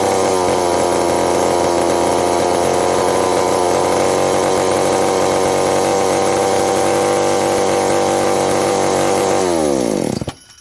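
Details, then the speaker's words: McCulloch 790 (MC101) chainsaw with new 090 carburetor: held flat out with steady high scream about ten seconds, then revs fall; remains lean at high revs, owner suspects intake gasket leak or loose muffler from broken bolt. "Yeah, once you rev it up real high, it's remaining lean, so there's a leak somewhere."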